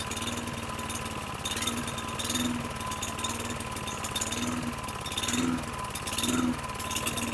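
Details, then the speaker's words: 2009 Lawn-Boy mower model 10642, 675 series engine, 20" blade: throttle tab pulled forward to raise RPM, engine swells and sags about once a second at the exhaust and starts to cut out; unstable surging. "As I did, you can hear from the exhaust that it started to cut out."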